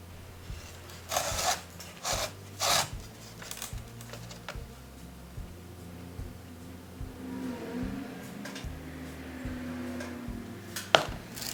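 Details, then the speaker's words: Old wooden buggy or wagon wheel bought at auction, shaken by hand during a diagnostic check: a few dull wooden clacks and rattles each shake, as the wheel is quite loose, with loose spokes and a failing felloe. "Chúng tôi sẽ lắng nghe cách chúng phát ra âm thanh, chúng thực sự khá lỏng lẻo, hãy kiểm tra thực tế và xem những gì có thể hiển thị trong chúng."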